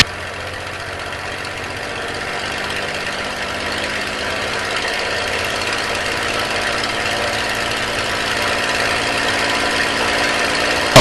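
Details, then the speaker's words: Aircraft formation-flight preflight run-up at 2300 RPM with stick back and brakes held hard: deep, even roar held at high revs, building slightly, firing smoothly with no misses or stumbles; normal healthy run-up before prop and idle checks. "I'm gonna stand up really hard on the brakes and I'm going to go up for 2300 RPM for a run-up"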